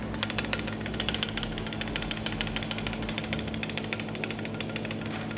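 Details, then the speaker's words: 2014 Corvette C7, ticking while driving, no OBD faults: quick sharp metallic ticks about five a second from the belt tensioner, its plastic damper cover missing so metal hits metal; fixed by replacing the tensioner. "There should be plastic cover here that prevent the vibration to make any sounds while the belt is moving. But now, as it's metal to metal contact,"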